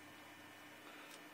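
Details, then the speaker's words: Old 486 computer, 4 MB RAM, 512 MB replacement hard drive, running: quiet steady whir with faint scratchy rustle like distant hedge clippers; normal hard drive seek noise. "i just imagine like some guy just like cutting the hedges outside i was like that's my hard drive working again"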